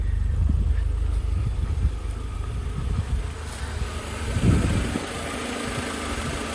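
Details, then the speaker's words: 1988 Mercedes 190E W201 after valve stem seal replacement, previously misfiring, smoking and not starting: petrol engine now idles low and fairly smoothly with slight shaking, no misfire, no smoke. Normal idle; owner thinks air pipes need adjustment. "Okay, that's actually idling fairly smoothly. It's kind of shaking a little bit."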